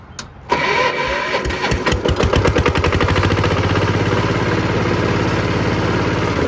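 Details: 60-year-old 1962 Kubota L13G tractor, single-cylinder vertical 2-valve water-cooled engine, morning start after glow plug heating: a few cranking thumps, then it catches and settles into a steady, even beat around 200 a minute; sounds healthy.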